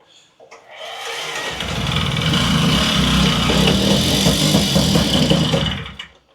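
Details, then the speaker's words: Non-running Puch Maxi two-stroke moped after fitting a new spark plug, on choke and pedalled: catches, buzzes unevenly a few seconds, then fades and dies; fires but won't keep running, cause not confirmed. "well that sounded like I wanted to go"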